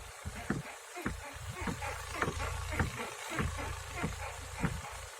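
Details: Daewoo Lanos rear beam bushings replaced about 2,000 km ago: irregular sharp squeaks from the left side as the car is rocked; squeak stopped after tightening the bolt and nut.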